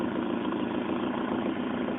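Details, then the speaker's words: Ford Escort GT with Mazda 1.8 L BP engine, after adjusting the throttle-body idle air bypass screw to cure a stumbling idle that dipped and recovered: smooth, even idle holding one speed with no dips or hunting. "see that's better it should just as soon as it down revs it should just hold there it shouldn't go down and back up at"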